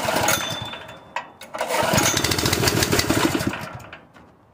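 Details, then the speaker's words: Honda GX160 single-cylinder engine on a propane-converted air compressor chugs unevenly, loses power, and stalls after running briefly, as it did on gasoline; owner suspects weak valve springs and that a valve job is needed. "the when it does run it only runs for a [Applause] minute this thing is so sensitive anything I do I don't think it's sensitive I think just it's ready to die at any moment"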